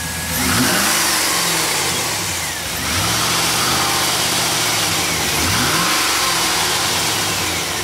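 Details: GMC Denali after repairing cut fuel pump wiring, with serpentine belt and oil and filter changed; the engine catches and revs cleanly in three sweeps, returning to an even idle; no misfire, earlier ticks gone.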